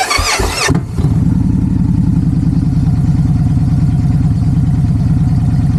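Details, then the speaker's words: Victory Judge V-twin motorcycle with a 2-into-1 exhaust, just fired up: a short crank, it catches, then settles straight into a steady loping idle of about three beats a second with a nice note; normal start and idle. "Okay, so this is her fired up. Got a nice note, 2 into 1."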